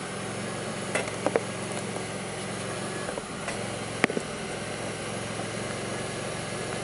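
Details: 2002 Pontiac Grand Prix 3800 with bogging, faint intermittent thumping, alternator overheating and no check-engine light: low uneven idle with scattered clicks and small stumbles instead of a steady beat; rough idle, cause not pinned down.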